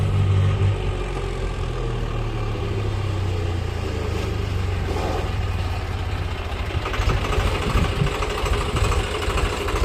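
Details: Swaraj 735 tractor on road test after replacing the worn right-side bull pinion bearing and oil seal: engine chugs with a low, even drone, no scraping or knocking from the right brake drum, which was noisy under load before.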